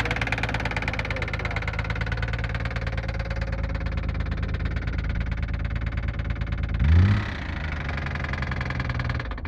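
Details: Nissan RB26 inline six idling with a fast, even tapping knock on the low engine note, steady until a brief blip near the end: engine knock.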